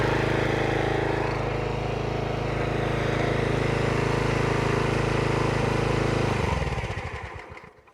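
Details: Troy-Bilt pressure washer with Briggs & Stratton Quantum engine after full service (oil change, carburetor service, air filter, new o-rings), previously a no-start: small single runs smooth and steady at constant speed, then winds down cleanly at shutoff; normal running.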